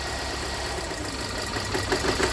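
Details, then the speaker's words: 2017 Hyundai Santa Fe Sport 2.4 with P0301, injector cut-out test. Idle turns rough and lumpy when injectors 2, 3 and 4 are disabled, but disabling injector 1 changes nothing: cylinder 1 is already dead. "that changed significantly let's go to number three that changed significantly let's go to number four uh-oh that changed significantly so number one didn't change"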